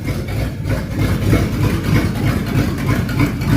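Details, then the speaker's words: 1969 Ford Mustang idling with no exhaust fitted after a fuel pump swap: loud, uneven lumpy idle with pulses wandering about three a second apart; owner suspects it may be loading up, timing and carburetor not yet set. "Yeah, I'm going to get some exhaust on it so I can do a little more tuning on it. Get the timing set, get the carburetor set, then really see what it sounds like. Because it might just be loading up, I don't know."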